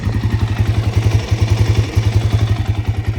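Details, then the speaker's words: 2006 Kawasaki KFX 400 that mostly sat its whole life, apparently low hours, fuel smelling varnished: single-cylinder thump at idle with uneven spacing, quiet with no ticking, running a little rough; owner suspects it needs a carb clean. Rough idle. "and this sounds pretty quiet you know there's no ticking it's kind of running a little rough kind of needs a carb clean from sitting for so long"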